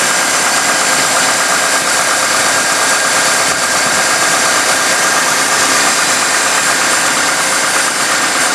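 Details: 1998 GMC Sonoma pickup idling after water pump replacement (old pump's seals leaking), coolant being drawn down: steady even idle, smooth hum over hissy background, no knocks, ticks or squeals; healthy engine.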